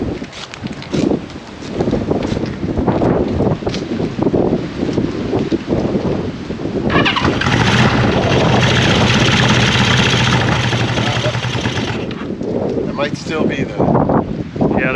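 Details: 1974 Honda CB550 four on first start during restoration, fuel syringed straight into the cylinders bypassing the carb floats and bowls, points issue found earlier: ragged, uneven firing catches, runs briefly, then fades; possibly on leftover starting fluid rather than its own gas.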